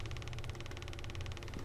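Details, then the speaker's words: Breadboarded 555 timer on a 9 V battery with a speaker on output pin 3: fast, even clicks about eighteen a second, showing the oscillator frequency is set far too low. "is a sign that we have a really low frequency here"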